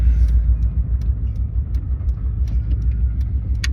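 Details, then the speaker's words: 2002 Subaru Legacy with 130k miles, just bought: a low, lumpy rumble with an uneven loping beat around three per second that sounds close to stalling. Rough idle, cause not confirmed. "It sounds like it wants to die. Yeah, it it does have a pretty rough idle."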